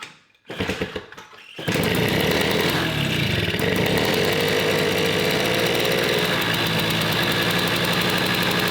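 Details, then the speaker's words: Gilera Runner 125cc two-stroke swapped into a Suzuki Street Magic moped catches after a couple of kicks. It settles into a fast, crisp, steady idle, a bit high and a bit smoky. Carburettor still awaits tweaking. "Doesn't that sound beefy? So impressed, so impressed. I mean, that starts so easy and it was ticking over like a peach then."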